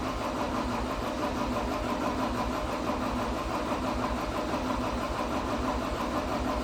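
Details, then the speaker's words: 2012 John Deere 333D skid steer, reman long block diesel, first start after ether and fuel system priming: catches and runs unevenly, misfiring and smoking black before shutdown, and throws a code. Cause unconfirmed. "empty fire for just a little bit but it it wasn't sounding right and it was starting to smoke black"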